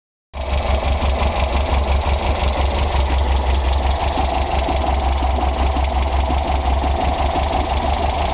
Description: I just adjusted my valves, but it is still making this noise.